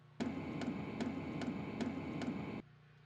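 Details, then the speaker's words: Stock Hcalory SS2 diesel heater as it came from the factory, before modding: sharp, even ticks about twice a second over a steady fan hum; the original fuel dosing pump is loud and obnoxious but working. "but like most of these uh types of diesel heaters coming right out of the factory the fuel pump was pretty loud"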